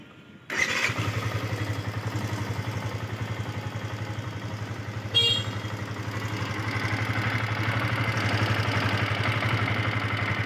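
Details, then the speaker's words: Yamaha FZS V2, 437 km, ridden rough without a proper break-in: fires up and idles with a fast light ticking clatter over the rumble; loose tappets and slack timing chain, needing adjustment. "Sound টেপিড, timing chain loose হয়ে গেছে। গাড়িটা রাফ চালার কারণে লুজ হয়ে গেছে।"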